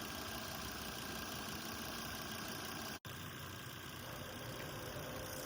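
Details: Wife's Volvo idling after a cheap repair: a smooth, even idle with no knocks or misses. The owner checks that the cap is sucked onto the valve cover, confirming negative crankcase pressure at idle.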